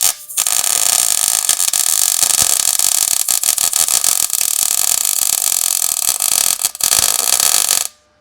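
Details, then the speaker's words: MIG welding overhead on the underside of a 1937 Lincoln Zephyr with heat high and wire speed a little low: harsh crackling, pulsing sputter instead of smooth sizzle, still a flat bead; sputter from low wire speed. "All right, so you can hear that welder, the noise it was making, because the wire speed is a little bit low and the heat is high. So you're hearing this kind of sputtering sound, a pulsing, but it affords this very flat weld bead."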